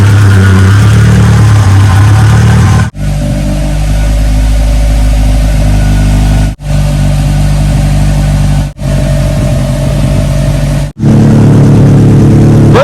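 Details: Acura Integra GSR B18C1 after Supertech head gasket and ARP head studs, running rich at an air-fuel ratio of 11.4 and needing a tune: strong, even idle rising into clean repeated revs and dropping back smoothly, no misses or knocks.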